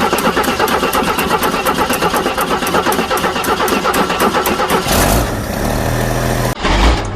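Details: Jeep CJ7 4.2L straight-six, cold, first start with new MaXpeedingRods replacement carburetor replacing a Weber: several seconds of rhythmic cranking chugs, then catches cleanly into a smooth, even idle; owner says never ran this good; normal start.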